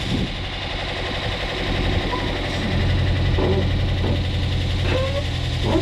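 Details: Dodge Challenger SRT8 starting and idling after a new fuel pump relay was fitted: deep steady rumble with a few throttle blips, no misses or knocks; starts and idles normally. Belt is cracked and due for replacement.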